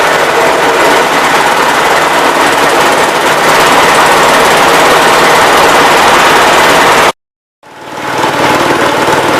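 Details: Cub Cadet 122 tractor with a mounted 42-inch snow blower, driven by a non-original TSC belt, running: loud, rapid hammering clatter over the engine, briefly cutting out, "like a bag of hammers" but working; owner blames the blower bearing, a little smoky.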